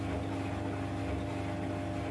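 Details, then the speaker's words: 15-year-old White Knight 37AW tumble dryer after repair with new parts and belt realigned, fixing a long-standing grinding noise: smooth steady hum, even low drone, no grinding or scraping; drum turns quietly, normal running. "well i'll put the little video i did of the noise it makes or was making in with this one so you can hear the difference but that is a lot different"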